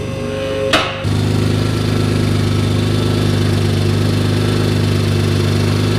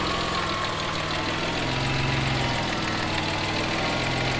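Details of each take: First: Mitsubishi 3000GT VR4 twin-turbo 6G72 after engine work: it starts, then settles into a loud, steady, droning idle with a raw exhaust note. The exhaust had never been tightened; the noise is an exhaust leak. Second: Mitsubishi 3000GT VR4 twin-turbo 6G72, running with the exhaust now tightened: steady idle with a light, quick ticking of lifter and injector chatter on top; sounds healthy.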